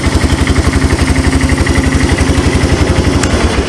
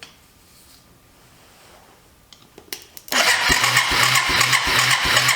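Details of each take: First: Abandoned Yamaha 250cc ATV (Bear Tracker), cranked with a screwdriver: even, steady single-cylinder putter at about four beats a second, no misses or knocks; healthy idle. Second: Abandoned Yamaha 250cc Bear Tracker ATV: starter churns steadily about two and a half strokes a second without firing; very weak spark, suspected key switch or ground, spark plug being swapped.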